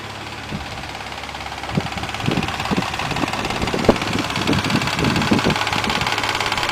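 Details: Mazda MX-3 engine warmed up to normal operating temperature at idle: irregular metallic clatter about two taps a second; cause unknown.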